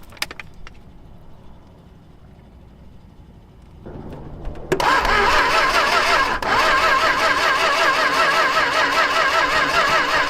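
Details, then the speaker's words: Long-neglected Dodge stepside truck with the carburetor refilled with fuel and a swapped-in battery: quiet cranking, then the engine catches into a loud, uneven run of about 2.5 firings a second before this battery also dies; it runs, and the transmission pumps fluid. "Well, that battery is dead, too. But we established it kind of runs."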